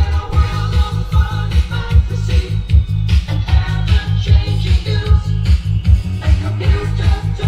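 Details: Hi-fi turntable after solving US 60 Hz vs UK mains frequency power conversion problem: record plays spoken audio at steady natural tempo and pitch, no wavering or dragging; correct playback speed.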